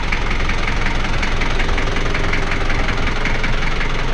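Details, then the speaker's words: 1985 Daihatsu Rugger F75 long-wheelbase turbo diesel 4x4, a daily driver, idling: loud but not obnoxious, even diesel clatter with steady rhythm and no odd knocks; owner says it runs fantastic. Normal idle. "give me an idea of what it sounds like idling it's pretty loud but not obnoxious it's like all engine noise"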